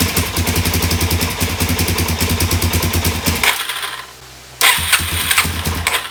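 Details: 2017 Suzuki DR-Z400S stored with fuel left in the carb, suspected carburetion fault; carb primed before the try. It catches, runs ragged about three seconds, dies, then fires again. Fuel screw to be set to three turns. Hard starting and stalling.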